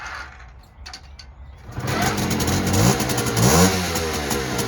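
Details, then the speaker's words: Chopped 50cc NSU Quickly two-stroke moped with adjustable carburettor jet, owner worried it may run lean, started on choke: catches and buzzes up through a few crisp revs, pulling cleanly without stumbling; running well. "let's have a look try and get our going good choke she wants to go she wants to go"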